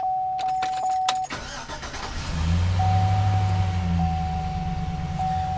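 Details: Chevy Silverado 5.3L V8 with misfire/electrical problem, after installing a VIN-programmed plug-and-play replacement computer: clicks and steady tone, then catches and settles into an even, smooth idle without stumble; sounds healthy.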